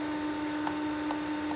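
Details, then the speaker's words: 2009 Vortice extractor fan running after a shower: steady fan hum with a faint irregular tick about every half second; light tapping inside the fan, cause unclear. "little tap tap tap noise that tap tap tap tap tick tick. I can't remember what it sounds like, but something."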